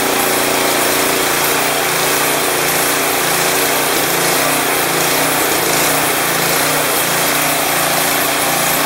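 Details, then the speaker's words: Craftsman 179cc 22-inch snowblower with Powermore engine, previously suspected of surging, after adding Seafoam and taking it off choke: small single-cylinder engine holds a steady, even idle with only a very subtle irregularity. "It has a little bit of a slight, I don't know if you guys can hear, it's very subtle. It actually idles pretty nice. Not too shabby."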